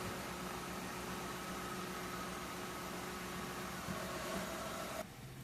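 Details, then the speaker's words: 2003 Mercury Grand Marquis 4.6L after the idle air control valve fix, relearning idle: quiet, even idle with no rising-and-falling "Wookie yodel" or hunting; normal idle. "Well, so far, it didn't come back with a yodeling sound."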